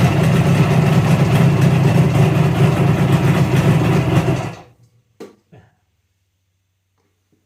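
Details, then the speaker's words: 1963 Ariel Arrow Super Sports 250cc two-stroke twin, revived non-runner: busy, slightly loose metallic rattle over the beat, then shuts off, with an oil leak; owner suspects something loose such as clutch basket or alternator, unconfirmed. "developed a little bit of a Rattle and an oil leak don't think the rattled anything too major it feels like something loose that's a couple suggestions about maybe loose clutch basket or practicing this alternator sounds like it could be something like that"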